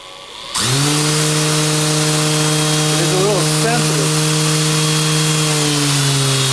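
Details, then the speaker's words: Motor driven by a repaired power supply, speed set by a magnetic pickup, with tape on the shaft making it loud: it spins up fast, then holds a steady, even hum with a light whirr; the repair is judged a success. "magnetic pickup on the back of the motor determines how fast this will spin oh it's got a little spinning yeah that takes off I put a piece of tape on it so it's a bit loud"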